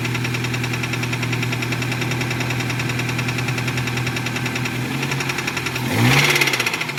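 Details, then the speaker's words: 2008 Nissan Versa, first start (fuel pump turned out not to be needed): rough idle with heavy uneven knocking and a rev blip; suspected bottom-end knock, possibly rod knock. "now if you have the specially tuned ear of a mechanic i will say that that was a really nice wrap perhaps even a knock from the bottom end of that motor"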